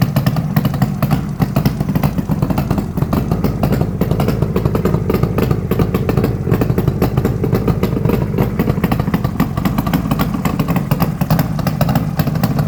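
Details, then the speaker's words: Cold start of a 1972 Suzuki GT750J Le Mans, water-cooled two-stroke triple, about 35k miles: busy idle with a harsh raspy crackle on every beat. The exhaust crossover joint has come out and is leaking. "and there's our major exhaust Loop there I was talking about so I'll certainly sort that out"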